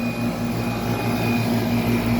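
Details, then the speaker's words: 1995 Tempstar 5000 central AC condenser, 30 years old, first startup of the 2025 cooling season at about 86°F, running 10–15 minutes at full pressure: steady, even compressor and fan hum, no rattles or squeals. Normal operation. "1995 Tempar. First startup for the cooling season 2025. [Music] Sounds good. This thing's a solid unit. Just keeps on going"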